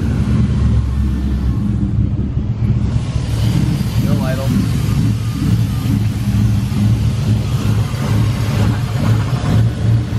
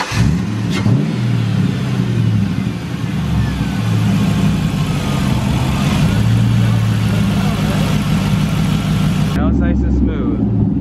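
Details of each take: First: Mustang V8 with newly installed cams; lumpy, uneven idle with a deep rumble that never settles; first blamed on a misfire, but owners found it was a massive vacuum leak. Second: Engine restarted after fixing a massive vacuum leak mistaken for a misfire: catches and settles into a steady, even idle with clean revs, no stumble or hiss; normal running.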